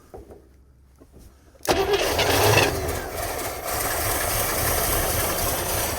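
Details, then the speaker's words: International Scout sitting 18 years, fuel line run from the fuel pump into a can, carburetor primed with gasoline, B12 and Marvel Mystery Oil; it catches after a short crank, runs seconds, won't pull fuel — failed fuel pump. "She's not pulling fuel. Well, it's kind of looking like the fuel pump's not working."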